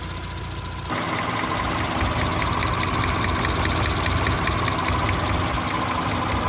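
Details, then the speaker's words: 2017 Audi S5 B9 EA839 V6, 67,000 miles, after engine removal, rocker arm replacement and camshaft adjuster upgrade, fresh start: even idle with only a light uniform injector tick; the bank two valvetrain ticking is gone. "Sounds a lot better now. There's no more ticking coming from this bank."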